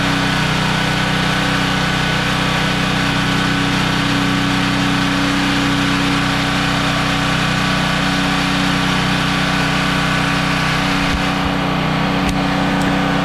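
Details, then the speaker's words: Generac GP3250 portable generator, unused for years, after ultrasonic carburetor cleaning and reassembly: steady, even engine drone with no misses or surging; runs normally, though the fuel petcock leaks and needs replacing. "so this thing's now running good"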